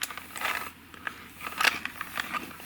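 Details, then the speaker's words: Cassette hand-wound on a belt-driven winder: uneven scratchy crackles and small jerks instead of smooth hiss, tape sticking and slipping, likely from a static-charged slip sheet. "can you hear this while I'm turning it the tape isn't going linear in fact it's stick in and slipping"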